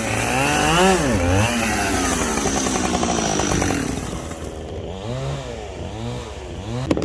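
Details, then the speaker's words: Chainsaw cutting through a log pile on one tank: revs rise and fall through each cut, but toward the end they sag and recover unevenly, bogging under load; cause not confirmed. "well you could tell it was starting to bog already"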